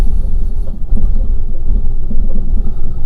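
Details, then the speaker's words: Salvage-auction 2011 Fiat 500 1.2 Lounge, check-engine light on: a heavy, low idle broken by uneven thumps and lurches, badly missing; owner suspects the throttle body, or compression as the worst case, pending an ECU scan. "now that could be all sorts of things so hopefully my ecu scan will tell me what it is if it's a throttle body or i mean it's it's missing isn't it big time"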